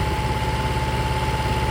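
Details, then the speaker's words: Restored 6.5 kW gas Kohler genset from a houseboat, running cold in about 30°F weather (steam): steady even drone with constant generator whine, no misses or knocks; light on, building power; small hose leak noted. "we're getting close to calling this project done. As you can see, the light is on. It's building power. It wouldn't even start if it wasn't building power."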